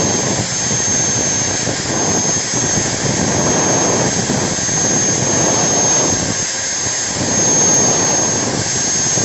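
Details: Angle grinder rebuilt with a MODERN M-2300B stator combined with a MAKTEC MT90, test-run with the lower body off: steady high-pitched whine at constant speed, no rasping or crackle, no brush sparks, counterclockwise rotation; runs healthy.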